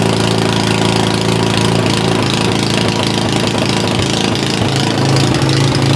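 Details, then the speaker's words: Simplicity SS922E single-stage snowblower just serviced, idling outdoors about 50° colder than the 60° garage where it ran fine. Slight rise and fall every second or two: idle surging; owner suspects the carburetor needs more cleaning. "now you can hear that this is surging a little bit but when I got done with the service in the garage where it was about 60° it ran fine but right now it's about 50° colder so uh I guess I got to clean that carburetor a little bit more"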